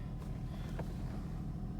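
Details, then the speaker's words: 2004 Honda Pilot after Bank 1 Sensor 1 oxygen sensor replacement (code P0132, random misfires and rough idle) and codes cleared: steady low engine hum at idle with an even, unbroken rhythm, no stumbles; smooth healthy idle, no rough idle. "I think it's idling better now. No rough idle."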